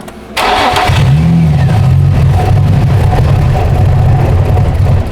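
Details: 2004 Infiniti G35x with used ECM, keys reprogrammed; engine idles unevenly, pitch sagging and hunting, won't take throttle, runs when MAF unplugged; faulty mass airflow sensor.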